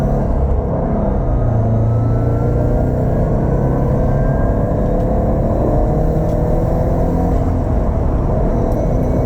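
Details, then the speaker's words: 2007 Subaru STI test drive after fixing a Cobb short shifter rattle that appeared at higher RPM: steady engine and road rumble as revs rise, with no shifter buzz or rattle. "we're gonna do a quick test drive so you guys can hear that you don't you don't hear that noise no more"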